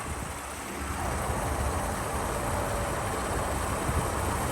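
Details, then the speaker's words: Toyota 2GR-FE 3.5L V6 after timing chain replacement, some oil smoke from spilled oil on exhaust: steady, even low hum with no knocks, ticks or misses; normal, smooth idle. "the engine's running real smooth"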